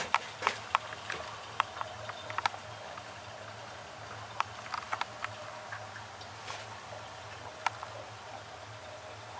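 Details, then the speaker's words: Slant/Fin GXHA-160EDPZ steam boiler system with year-old Hoffman 75 main vent, hot: quiet operation, faint ticks and drips of water draining and circulating, no banging or hammering. "it's a quiet system"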